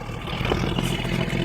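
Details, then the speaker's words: 1976 Jeep DJ-5D postal Jeep, carburetor gravity-fed since fuel pump is dead, leaking some oil and smoking: engine runs smooth and even, revving up without knocks or misses, good oil pressure; sounds healthy. "it runs so good. I mean, come on, 500 bucks. I'm gonna give her a little rev here. Wow, she sounds good."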